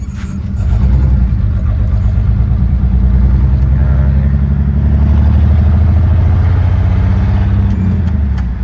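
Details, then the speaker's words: 1967 Chevrolet Impala at idle: lumpy, uneven putt-putt with dropped beats and shaking, a steady misfire; owner suspects oil-fouled spark plugs. "ama çok net belli oluyor yani pata pata pata pata pata vuruyor yani rölantideki Sesi bile çok rahatsız edici"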